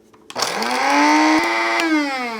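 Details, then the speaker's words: Cuisinart Supreme Grind burr grinder on medium setting, starting only with hopper and grounds cup installed (safety switches): motor spins up cleanly to a steady buzzing whir of even pitch, then slows; normal start. "it starts because you got the hopper installed and you got the grounds catch cup installed as well so I do really appreciate the fact that they consider safety because not every grinder does have this feature"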